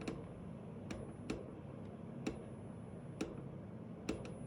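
Light, uneven clicks roughly once a second over a quiet cabin hum; an actuator is ticking as it hunts, cause not yet known.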